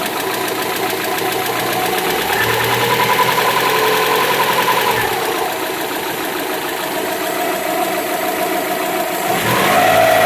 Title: i think this is lifter tick